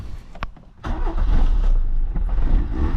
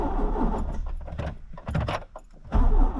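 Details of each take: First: 1986 Peugeot 205 after an oil change with 10W40: brief crank, then catches first time and settles into a steady, even idle with no knocks or stumbles; healthy engine. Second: 1986 Peugeot 205, engine and gearbox integrated, test start during servicing: starter cranks several seconds in an even chug without catching, described as a bit temperamental, brake cleaner then tried; hard starting, long cranking, cause unknown.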